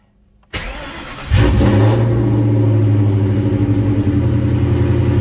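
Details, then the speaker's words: Car after tightening a loose tachometer ground wire at the hood: it cranks, fires promptly and settles to a steady, even idle of about 1100–1200 rpm with a smooth low hum and no misfires. The engine and tach work fine. "and there she is island at about 1200 rpm 1100 we got 1100 rpm right there"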